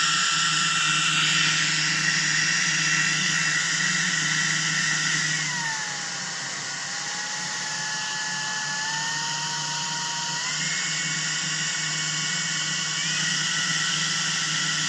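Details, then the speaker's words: Shark IZ300UK cordless vacuum: constant high-pitched motor whine over the airflow that dips and rises with load. The internal filter is slightly loose, and pushing it in makes it sound better. Cause suspected, not confirmed. "to me it sounds like the uh the motor is a bit whining um I know the filter inside it is slightly loose so if you push the filter it sounds better"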